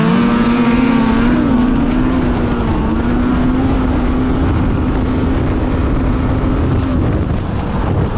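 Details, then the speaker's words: 2016 Polaris Indy 600 SP two-stroke snowmobile after fuel filter fix, full-throttle grass drag run: steady high howl pulling cleanly without stumbling; 66 mph at 400 ft, about 71-72 mph at 500 ft, still pulling hard. "500 ft we were still pulling hard and hit a 71 almost 72 so not bad baby not bad"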